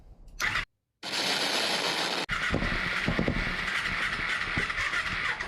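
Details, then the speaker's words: 2007 Kawasaki Ninja EX250 that sat five years, with carburetors removed and Berryman's sprayed into the intake: starter cranking with a few sharp irregular pops and flames. Cylinders ignite but can't run without carbs. "Ooh, a little flamage. Well, they're igniting. It's not going to run because we don't have carbs, but if I can just hear that thing sing just a little bit, I'll be happy."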